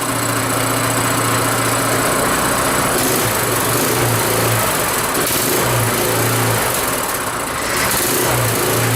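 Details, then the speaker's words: Rototiller single-cylinder engine after carburetor cleaning, started cold on choke, not yet warm: steady fast-idle putter with firm even beat and light rocker cover tick; running pretty good. "Hey, that's running pretty good."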